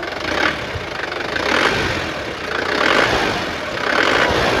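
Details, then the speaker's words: 2010 Isuzu Panther pickup turbo diesel, engine revved: clatter rising and falling in quick blips about every second, crisp, no knock or miss; responsive. White smoke shows slight blow-by, but radiator doesn't spurt, compression judged safe. "Mesinnya masih responsif, masih enak. Dia juga turbo diesel."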